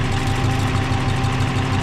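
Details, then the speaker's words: Subaru BRAT replacement engine idling after the engine swap: a steady, even idle with a smooth low pulse, no smoke, and no rattle, tapping or rod knock; healthy. "sounds pretty good doesn't smoke Andrew doesn't rattle no noisy tap it snow or no rods knocking"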